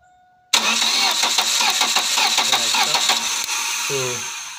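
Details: 1999 Chevy Cavalier with no DTCs, brought after other shops threw parts at it: the starter cranks briskly at 3–4 turns/s but it never fires. Crank-no-start; spark is confirmed on the coil, with coils possibly in the wrong slots, unconfirmed.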